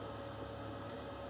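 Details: Externally mounted under-chassis Eberspächer/Webasto-type parking heater, possibly about 2500 W, fully warm, hot air; about 1 m away. Steady even blowing hum with faint constant tone, no knocks or surging; normal running.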